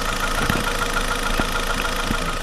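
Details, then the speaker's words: $50 car just after freeze plug replacement and coolant bleed: warm idle with light irregular tick and occasional knock; owner suspects but doubts rod knock, source unconfirmed; ticking knock at idle. "now that little ticking knocking sound that idle that you hear and if you guys pick it up"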